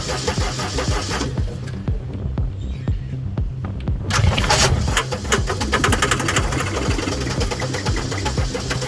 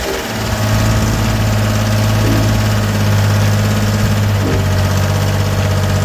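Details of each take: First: Gehl 4640 skid steer, Deutz diesel, quit and won't restart after running a few hours; even cranking at about two beats per second that never catches. The fuel shut-off solenoid isn't engaging, although a mechanic had suspected the injection pump. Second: Gehl 4640 skid steer with Deutz diesel, which had quit and would not restart before a fuel solenoid/pump diagnosis, catches quickly and settles into a smooth, even low idle with steady clatter and no stumbles; running properly.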